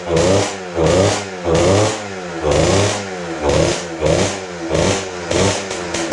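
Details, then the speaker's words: Kawasaki KX60 two-stroke dirt bike, sat over six years, on HP2 synthetic premix, choke on: uneven surging bursts about one to two a second, burping and running rough; owner wonders if the missing cover causes it, unconfirmed. "Sounds like it's burping. Why does it sound like it's burping? Is it because there's no cover on it?"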